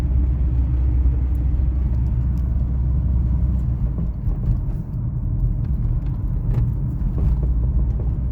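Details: 2000 Toyota RAV4 driving: steady road rumble with scattered dull clunks from underneath; sway bar bushings and links already replaced, so not the sway bar; cause not found.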